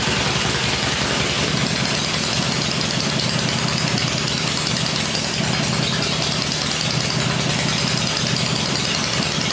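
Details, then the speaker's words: First start of a freshly rebuilt 96-inch engine with Edelbrock heads on an engine stand gives an even, quiet V-twin idle with a smooth lope and no ticking or knocking. Normal idle. "well that sounded all right there yep Idols are way down on this question so now I'm just going to let it cool and then we'll run it again that sounded okay though yeah sounded good nice quiet"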